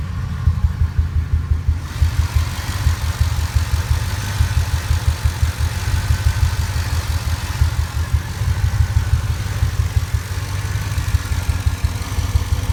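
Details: Ford 5.4 2V V8 truck, intermittent for 3 months: bank 2 misfire, coil pack replaced, injector cleaner used, now rough idle, shaking worst in drive, no codes: lumpy stumbling idle about three beats a second; rough idle with misfire, cause unconfirmed.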